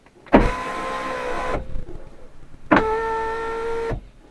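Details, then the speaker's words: Fiat 500C front right power window motor run via body computer actuator test (diagnostic tool execute): two smooth, steady whirrs about a second each ending softly; works though window didn't go fully to top. "So it does all of these things. It hasn't actually gone right up to the top. It does all those things to show that they work."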